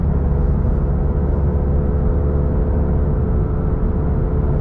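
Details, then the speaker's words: FRS/BRZ/86 with automatic engine converted to manual, equal-length headers, two resonators limiting drone, cruising: steady deep even note with no ticking or puffing from the exhaust; healthy engine and clean exhaust. "I very like this sound sport track sound that comes out of the exhaust with the equal length erors and I have two resonators so yeah it's it help a lot with the drones"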